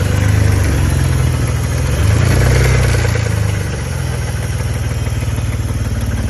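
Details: BMW E60 530i with a spun rod bearing, restarted after months sitting and 7–8 minutes of cranking: idling six-cylinder with a deep, steady knock about four times a second, rod knock.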